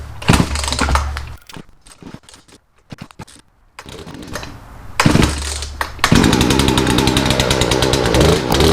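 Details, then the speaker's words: Poulan chainsaw just after a Zama carburetor rebuild kit, new air filter and fuel filter: fires in short bursts, sputters, then hunts unevenly. Owner suspects the carburetor was set way too low and will recheck the adjustments. "I'll take carburetor back off, check my adjustments. I think that I might have had to set way too low,"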